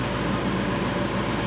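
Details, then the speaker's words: 1999 Chevrolet Suburban 5.7 V8 warming up after distributor gear replacement and timing set: smooth steady idle, no misfire heard; original complaint was misfire at idle, possibly fixed by the repair; fuel trims look good. "It sounds like it's idling pretty smooth. I don't know if his, may have inadvertently fixed his original problem."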